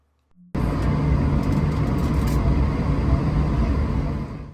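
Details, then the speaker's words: Airbus A220 taxiing on one engine to save fuel, second started before the runway: loud rough buzzing growl over a low rumble, the PTU compensating for missing pressure in the unpowered hydraulic circuit; normal. "Ça c'est le PTU qui essaie de compenser le fait que le deuxième moteur ne soit pas allumé. Car là on est en train de taxi avec un seul moteur et en gros chaque moteur alimente son circuit."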